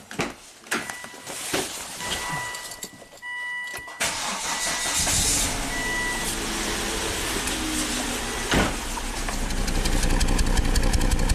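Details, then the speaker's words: Volvo S60 Turbo with severe misfire and loss of power, started with coils loose for a cylinder drop test. It settles into a lumpy, shaking idle; codes show cylinder 1/2 startup misfires and catalytic converter damage, and cylinder 1 proves dead. "now it's just dead like uh it feels like a single cylinder misfire and it says no power it shakes shakes like crazy"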